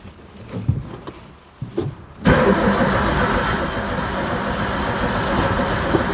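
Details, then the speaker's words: Barn-find Zastava 850, on-site first start attempt with fuel added to the carb, weak battery: rapid steady starter churn that never fires; cranks but won't start, no spark apparent. "I put fuel in there but it seems to be no spark"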